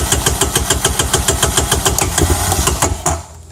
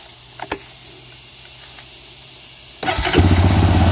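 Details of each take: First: 2004 Honda Recon 250 ES single-cylinder Keihin carburetor, before rebuild: uneven putter of about three and a half beats a second that dies after three seconds when cold without throttle; hard starting, runs fine once warmed with gas; cause suspected, not confirmed. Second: 2004 Honda Recon 250 ES ATV after Keihin carburetor rebuild with kit: brief crank, fires right up and holds a steady, even idle with a regular low beat and no stumbling; idle screw still to be set.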